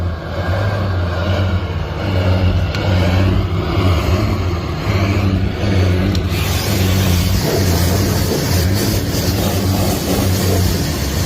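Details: Range Rover 2.0 diesel, Euro 6, after turbo failure and replacement: engine held at steady high revs with deep exhaust roar, burning residual oil out of the exhaust with flames.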